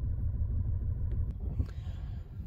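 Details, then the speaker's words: 2010 VW Passat, flashing check engine light: low, lumpy idle rising and falling unevenly; multiple misfires with cylinder 3 the main one, cylinder 1 also; coil pack suspected, to be swapped to cylinder 2 to confirm; ignition coil misfire. "now that we have multiple misfires I'm going to pull out and check compression and check the plugs we might have other issues going on here but cind three is our main issue"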